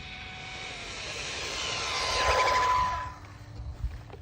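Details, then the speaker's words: Jiusi WB12Pro RC car on a Turnigy 3S battery, stock except a $15 ESC (29t pinion per title), GPS speed run: high motor whine climbs as it passes at full throttle, then fades; the motor screams but reaches only about 46 mph, with the ESC seen as limiting. "It's funny, you can hear the motor screaming but it's just not going as fast as I was expecting it, and there's a good reason for that."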